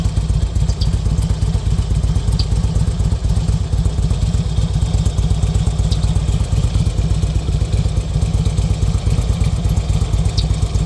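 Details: 2005 Road King Classic V-twin engine: loud, lumpy idle with loose, irregular thumps around two per second over a deep rumble; the source of the noise is unclear.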